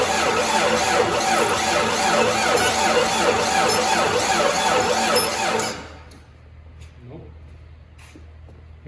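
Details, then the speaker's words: 1994 Jeep YJ after fuel pump replacement, pump now running with fuel pressure, jumped and cranked: steady even starter cranking about six seconds with no catch or firing; cranks but won't start, and a spark check afterwards found no spark. "jump it and try to start it with jump nope okay so it looks like this is not the only problem but definitely that was a problem right"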